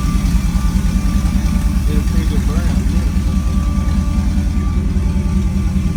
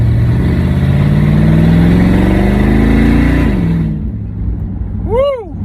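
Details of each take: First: LS-swapped OBS short-bed truck after a second shop fixed the first swap, with fuel line redone after a gas leak: a deep V8 idle thumping at a steady beat, with music over it; the engine keeps running without dying. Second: LS-swapped OBS short-bed truck with turbo 400, no mufflers, first drive in three years: loud open V8 pulling smoothly with rising pitch on acceleration, then easing off; runs clean, just needs mufflers.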